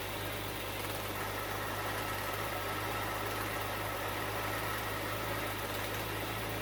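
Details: Bitter SC (SC 377), Bosch L-Jetronic fuel injection, after fixing a faulty temperature-sensor wire. Steady, even, smooth low idle with no misses or knocks: the engine runs cleanly and sounds healthy.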